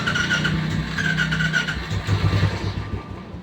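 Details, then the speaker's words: Royal Enfield Classic with morning cold-start problem, after refitting the plug: single cylinder thumps unevenly for a few seconds then dies because the carburetor mixture screw was found fully closed; stalling from closed mixture screw. "गाड़ी बंद तो इसको खोल ही लेते थोड़ा सा यह पूरा बंद पड़ा यार क्या कहां से सेटिंग करवाते हैं लोग"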